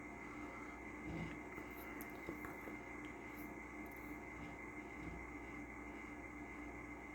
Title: PC is making strange grinding noise on first start up but goes away after the second...